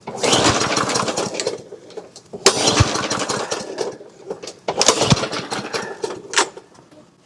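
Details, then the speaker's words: Toro GTS 140cc mower, sat over winter: repeated pull-start bursts, each a short rough chuff that dies at once, never catching; good compression but won't start, cause not yet confirmed. "she feels good compression-wise, but I agree, it won't start."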